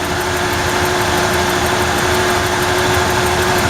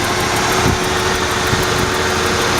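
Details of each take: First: 1994 Ford F-150 4.9L inline-six idling after a bad new spark plug was replaced to fix a misfire; still hunts slightly, with a light regular tick about five a second. Owner suspects ignition but can't trace it despite swapping wires. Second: 1994 Ford F-150 4.9L inline-six after replacing a bad new spark plug, idling slow and steady at about 600 rpm with all cylinders firing evenly, though it still hunts slightly; normal idle.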